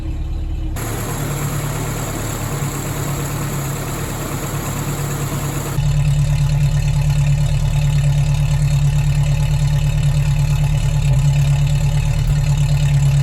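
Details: 1977 Toyota 20R carbureted four-cylinder with Weber 32/36 carb, misfiring at higher rpm after a recent fuel pump replacement: lumpy, uneven beat that grows louder as revs rise, with backfiring; cause not yet found.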